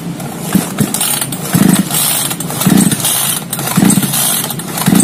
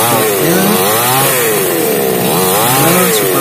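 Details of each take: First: Small chainsaw that is hard to start cranked by pull cord about once a second with the switch on and choke pulled: brief chuffs but it never catches. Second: Small hard-starting chainsaw after repair, restarted with choke cycled: crisp two-stroke buzz rising and falling cleanly with throttle blips, no sputter or bogging; now runs normally.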